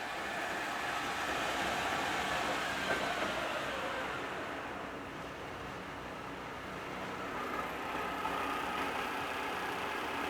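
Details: First test run of the gearbox on the rebuilt machine Pearl, on power with a temporary clutch-brake lever, in top speed at about 1794: smooth even whir with no gear whine, clatter or rhythm change, and no noisy gear found; normal running.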